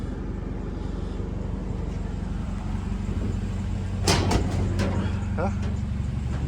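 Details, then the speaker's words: 2015 Mercedes CLA 250 4Matic after the fault was finally found, idling with no exhaust fitted: loud, deep, steady exhaust rumble with even beat and no misses; idles fine, loud only from missing exhaust. "but the vehicle runs fine everything sounds good sounds loud cuz it doesn't have an exhaust it's idling fine"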